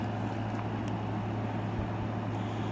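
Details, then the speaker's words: Salvaged window air conditioner running: steady low compressor hum with soft airflow rush, no rattles or squeals; about 60–61°F air coming out; working great, normal operation. "going in 62 63 wyndi tree coming out the back she's working great"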